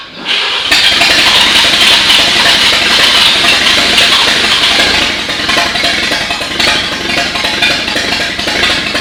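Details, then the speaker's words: 1939 GMC COE 4x4 six-cylinder after fixing fuel delivery from the updraft carb, wet plugs and minor valve adjustment: catches after brief crank and runs steady and even with no knocks or misses. "so at this point uh bill has worked out the issues with it we had mostly fuel delivery issues and we had some wet spark plugs"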